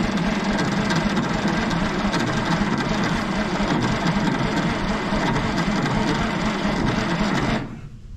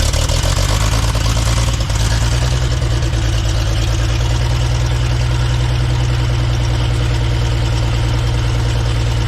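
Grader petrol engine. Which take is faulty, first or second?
first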